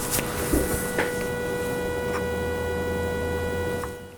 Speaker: There is also an audible whine from the display. I'm going to turn it on so you can hear that.